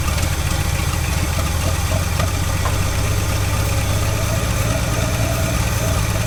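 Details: 1969 Chevy Bel Air six-cylinder barn find, sat 10 years: steady lumpy low idle that keeps running only while starting fluid and gas are sprayed in; fuel pump suspected not working.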